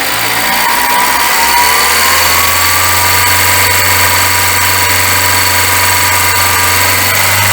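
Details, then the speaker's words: VW Gol with a noise when accelerating: steady engine drone with a thin scraping whine climbing slightly with revs; the timing belt is rubbing against its cover, near the water pump edge, leaving belt dust. "Olá pessoal mais um vídeo a gente tá com esse gol aí da esposa do Igor já pensou se esse carro não lembro que foi feita aí para olhar mas tá com barulho quando acelera"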